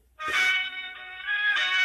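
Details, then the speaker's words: Melody in Motion music figurine after its wires were clipped to a new speaker, since the old speaker had failed: clear, clean melody notes with no buzz, rattle or crackle. Normal playback; the faulty speaker was the cause. "Now see, I have them wires hooked up to the speakers. And now I turn this on. And now you can hear the speaker going."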